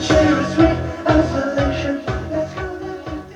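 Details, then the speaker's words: Nakamichi CR-1A cassette deck before repair, playing a tape: works but music sounds dull and muffled with almost no top end, like a dirty or worn playback head; fast forward and rewind work; cause unconfirmed. "it's working it's working it just doesn't sound the greatest"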